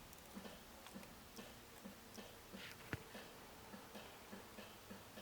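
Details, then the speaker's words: Toyota AE86 headlight switch on the bench: sharp, uneven relay clicks, two or three a second, as wiggling the wires flicks the headlights on and off; the fault is an intermittent switch connection, not the plug, whose pins look fine. "you could hear the relay clicking on video but basically you shouldn't be able to do that just by wiggling by the circuit board and the plug is fine"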